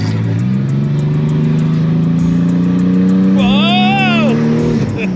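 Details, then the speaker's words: Car with the exhaust cutout open, engine given some gas: a deep, loud, raspy, unmuffled drone climbing slowly in pitch under throttle. "all right so that was where the exhaust cut out open"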